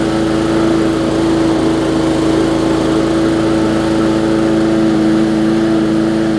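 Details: Bolens push mower with Briggs & Stratton engine, after no-start repair (bad fuel): steady even drone with constant whining note, no misses or surging; runs smoothly.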